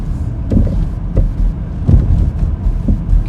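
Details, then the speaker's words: 2010–2015 Vauxhall Astra J driving over bumps: heavy low hollow thuds about every half second, a suspension noise rather than brakes, back plate or heat shield, traced to a worn front shock absorber rattle. "But it's definitely a suspension related noise rather than a brake or back plate or heat shield type noise."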